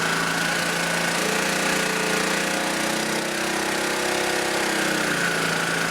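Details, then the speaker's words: Auction generator under a 2200 W load reading 55.8 Hz and 109 V. The engine drones low, then its pitch climbs as the throttle is worked by hand; it has enough power, so the governor is out of adjustment. "it has enough power to bring it up, so we need to do some fine tuning on the governor."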